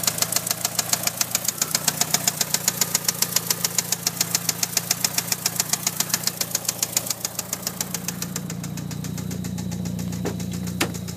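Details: 1997 Mitsubishi Eclipse GST at idle: sharp, fairly even ticks about three and a half per second over steady idle; ticking noise, cause unknown.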